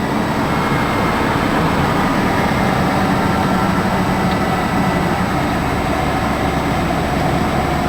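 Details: 1992 Ford Crown Victoria ex-police car, 100% stock, 4.6L V8, mileage unknown, cold start after sitting a week. Steady, even low rumble with no knocks, ticks or misses; sounds healthy.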